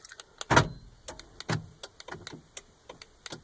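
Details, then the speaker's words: 2004 Honda Odyssey driver's-side power door lock after the multiplexer solder repair: pressing unlock gives irregular clicks and short buzzing clunks at random; the actuator is cycling erratically. Owner suspects a bad actuator drawing too much current to the multiplexer. "Yeah, I'm hitting the unlock button and it's just doing some weird crap right now."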